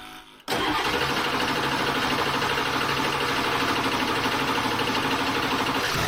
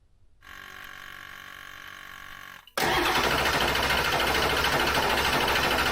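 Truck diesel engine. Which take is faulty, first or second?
first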